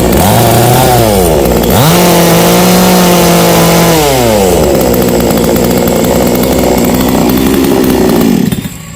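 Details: New, unboxed Kratingdam (Black Bull) TOP 6000 two-stroke chainsaw with a new air filter, longer conrod and 45.2 mm two-ring piston. It snaps to a high wail and drops back cleanly twice, then holds a steady buzz; normal revving.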